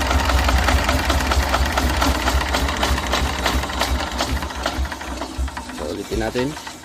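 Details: Yanmar TS190R single-cylinder diesel generator, previously hard starting, after diesel pump replaced and fuel system cleaned: quick even chugging beat, no misses or knocks; now running fine.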